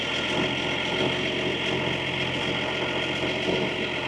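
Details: 1983 Unimog 1300L diesel just after cold start at -10°C in the Arctic Circle without preheater, microphone next to the engine: even diesel clatter at steady idle, no misses or surging; normal cold idle.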